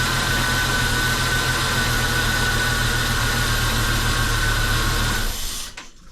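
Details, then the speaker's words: Jeep Cherokee, dormant eight years, running after an oil and fuel change: constant hiss and thin high whistle over the idle before shutting off. The owner attributes this to a couple of missing vacuum lines leaking. "there's a couple vacuum lines like I said earlier that are missing that are making some weird noises but once I replace those I think it's like sixty dollars for a whole set"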